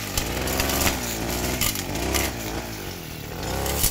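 Two-stroke buzz surging unevenly with a rough, snoring flutter and sputtery bursts; running rough, cause not evident from sound alone.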